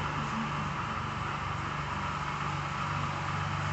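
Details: Car warming up at idle. Even low rumble at about four firing beats per second, no knocks or misses; the power steering pump noise is normal.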